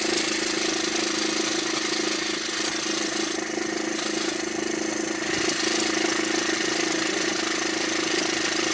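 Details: Diesel car idling evenly after diesel pressure sensor replacement fixed smoke and rough running; light quick ticking about three per second remains, suspected from timing-chain tensioners, not confirmed.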